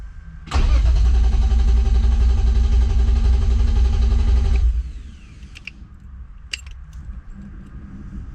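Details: BMW E36 M3 engine on its first start attempt with a newly installed Link ECU, after sitting a long time; it had fired on the previous ECU. The starter cranks evenly for about four seconds with no firing, then quits: it cranks but will not start.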